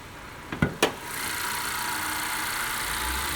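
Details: 2015 Honda Accord steady petrol idle with even hiss and no whine after two sharp clicks; after replacing the belt tensioner bearing, the supercharger-like whine that rose with speed is gone.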